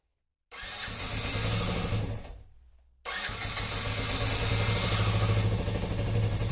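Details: Yamaha Raptor 50 quad, first start after repair, neutral with choke: engine catches, revs up and stalls, restarts and hangs at a fast idle; owner suspects a dirty, gummed carburetor or a lean mixture.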